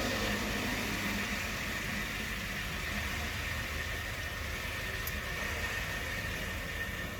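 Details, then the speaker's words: Electrolux GCB 11 Basic X Fi gas boiler after circulation pump replacement and refilling, possibly overfilled to 2 bar: a steady hiss and rushing water over a low pump hum in the radiators, with a faint whistle; trapped air suspected. "печатка зашумело звучало страшное email так батареях вода звучало значит я по ходу перекачал 2 бара"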